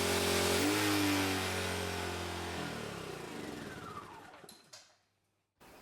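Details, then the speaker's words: Gentrax 800W generator (claimed 800 W peak) loaded with a 500 W charger plus a variable polisher ramped to maximum: the steady drone sags in pitch, then the engine cuts out and winds down after peaking at 948 W; overload shutdown. "We see that watt draw peaked at a short period, and then the generator shuts down."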